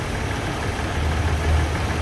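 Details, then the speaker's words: Nissan Pathfinder 3.5 V6 with unstable idle; ignition coil signals show irregular peak heights. Low idle rumble that wavers and lumps unevenly instead of holding smooth. Rough idle from faulty ignition coil. "Hola compañeros les compartimos este diagnóstico de un Nissan pathfinders 3.56 cilindros el mismo en estos momentos Presenta una inestabilidad"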